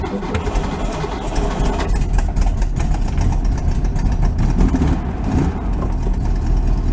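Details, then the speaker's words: 1965 VW Beetle with freshly rebuilt air-cooled flat-four, first start after installation in the car: busy, low, chattering idle holding steady without stumbling or stalling; normal healthy idle. "all right we'll take it we'll take it mama's happy"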